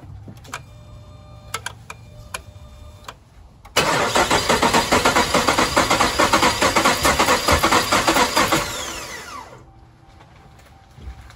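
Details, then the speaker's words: Ram 1500 5.7 Hemi with a no-start: starter churns evenly at about two pulses a second for five seconds, never catches, then winds down; crank position sensor sends no signal, cause suspected, not confirmed. "Actually sounded a bit better when it was trying to start."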